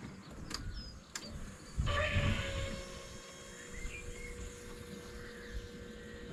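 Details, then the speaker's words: Land Rover Discovery 2 TD5 diesel, just after a fuel filter change: faint steady electric hum of the lift pump priming as the key is cycled before starting; it then fired first time with no leaks. "so in theory a couple turns of the key to prime it and then it should fire up can hear the pump running"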